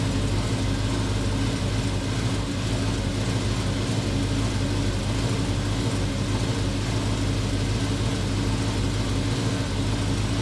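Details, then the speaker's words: VW Transporter with RS4 V8 and twin turbos, after manifold work: deep, even idle burble, no puffing, ticking or misfire; sounds better, exhaust no longer blowing. "Now, that does sound like a V8. That does sound better. Sounds better."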